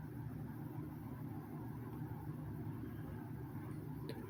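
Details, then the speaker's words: Restored 2006 Lasko 3733 box fan on low speed: a low steady hum and soft air rumble with no rattle, scrape or wobble. Normal running. "you have to give these fans credit for one thing i mean the air range on them really isn't all that great but uh it's the sounds of them you know that that i actually did kind of like"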